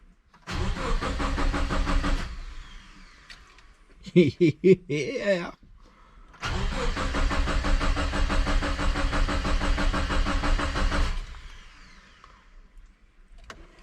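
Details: Subaru Forester with a compound turbo setup on its first start-up attempt: two long bursts of even cranking, about two beats a second, with no firing or catch between them. The engine turns over but won't start.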